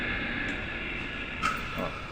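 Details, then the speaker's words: Floor polisher motor tested on 220 V, out of the unit and without its gears: steady even hum with no grinding, squeal or rumble, bearing good; the fault is the gears, due for replacement; normal motor running. "E esse tá ótimo. Se o rolamento tá bom, não tá fazendo barulho nenhum. Tá ótimo."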